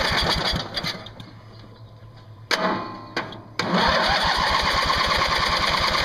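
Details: Craftsman mower's 20 hp Briggs & Stratton Platinum Series flathead cranked with ether (starting fluid) sprayed in; steady chugs about four per second, stops, retries, never catches: cranks but won't start. Owner suspects a valve problem; fuel flow unchecked.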